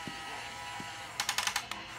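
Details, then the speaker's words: Top Race TR-113G RC front loader: light steady whir from the arm motor, then a quick string of about six sharp clicks at the travel limit; normal end-stop safety clutch, not harmful. "all the way down and by hearing the click and it's not hurting anything it just means that's where it stops it's a safety thing so you don't break the thing"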